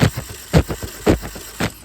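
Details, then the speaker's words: VW Corrado G60, 65k miles, spark plugs removed, spun on the starter after an immobilizer problem: even, unforced whump-whump about two turns per second; engine turns freely, though no fuel pump priming is heard. "Sounds like it's pretty free to me. I'd say that's a pretty good start so far. Engine turns freely, which is a good sign."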